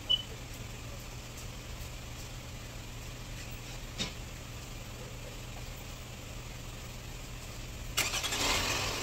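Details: Toyota Camry after replacing the ignition coil and spark plug, oil overfilled: quiet steady low hum with no shudder or stumbling, a louder burst near the end; the earlier shaking at idle is gone, idling smoothly.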